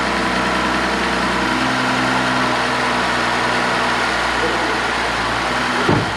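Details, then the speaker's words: 2011 BMW X5 N55 3.0 twin-turbo, 80,000 miles, engine had seized and was freed for a cheap fix; first start after repair settles into a steady, even idle with no knocks or rattles, sounding good. "i can't believe it's running no way and it sounds good too dude it sounds good"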